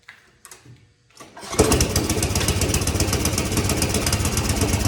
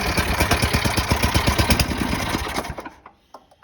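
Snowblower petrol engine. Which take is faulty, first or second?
first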